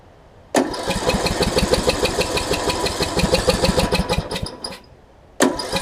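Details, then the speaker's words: John Deere D110 after an engine rebuild, mock-up test with flywheel orientation corrected: even, quick cranking about three beats a second with no firing; low compression from a leaking head gasket, head to be removed again. "all right i've got low compression here she can hear it it's trying to crank but it won't it won't fire for me yeah it's got a head gasket leak"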